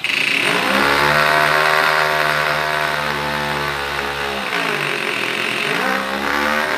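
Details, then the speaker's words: Small two-cylinder engine from a Semto kit in an 8th-scale 3D-printed Supra, with the carburettor adjusted and a fuel-soaked drive belt slipping and missing teeth: screams at high revs, sags, then recovers. It dies below half throttle and won't idle. "all right it starts up but it has to stay at the high RPM if it's lower than half it will shut it off"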